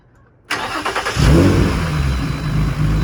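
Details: Fresh startup of a G35 with G37/350Z parts after a wire tuck, polished timing cover and a new Yellowtop battery: a brief crank catches in about a second, then a steady, even idle with no knocks. Healthy start.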